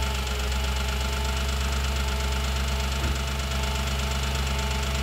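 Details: Audi B7 S4 at idle, stethoscope search: fast, even ticking of about two per second over the engine note, loudest at the rear of bank 1 near the cam adjusters and cylinder 4 valvetrain.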